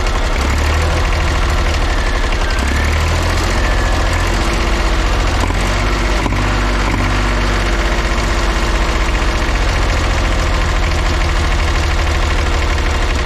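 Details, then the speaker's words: Old diesel Tower vibratory roller compactor, first run after sitting 30 years: rough, lumpy running at mid throttle with an uneven beat, a bit smoky; owner thinks it is missing on one cylinder. "I'm sure you can tell it's not running the best I think it's missing on one of the in definitely miss"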